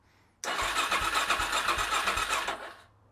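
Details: Suzuki DRZ400SM first start in 3 months after a restoration rebuild, battery freshly charged: a steady starter churn with even compression pulses about four a second, not firing yet while fuel is drawn through; it is expected to catch soon.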